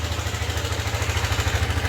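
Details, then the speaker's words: Yamaha NMAX V2 scooter: steady idle thump with a loose metallic clatter on every beat, reportedly louder on a cold start and slightly quieter when warm. Teardown found a crushed cam bearing. "So maingay talaga makalansing ayan. So mas maingay daw nga yan pag buo ng start eh."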